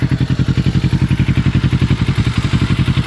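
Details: 2006 Kawasaki Ninja 650R twin at steady idle: light even tick about four times a second over the engine thump; source unclear, owner unsure whether it is normal.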